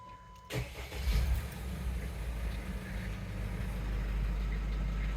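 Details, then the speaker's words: 2014 Jeep Wrangler JK 2.8 CRD diesel after oil, filter, coolant and air filter service: brief crank, quick catch and smooth even idle with no knocks while watching the oil light; no leaks, normal start. "there's that give a rebound sounded good to [Applause] me"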